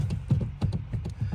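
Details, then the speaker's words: Jeep JK brake pedal: dull low thuds about three times a second from play in the pedal pivot shaft, worn nylon bushings at each end of the shaft. "It's just a thud sound, but look up in there, you can see there's play in that. And it's just obviously the bushings are worn."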